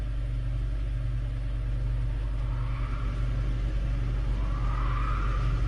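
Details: 2018 Hyundai Elantra with stalling and top-end rattle on downhills, first startup after repair, oil pressure gauge attached: steady even rumble at raised idle around 1300-1500 rpm, 84 psi oil pressure, no knocks or misfires; normal fast idle.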